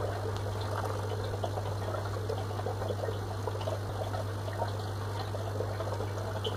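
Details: FX6 canister filter: steady low electrical buzz under gentle trickling water; pump motor buzzes while filter works perfectly.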